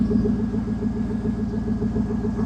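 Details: 2000 Chevy Silverado 5.3L V8 after bypassing a faulty aftermarket alarm that prevented starting: steady even idle with smooth regular firing beat, no knocks or misses, normal idle.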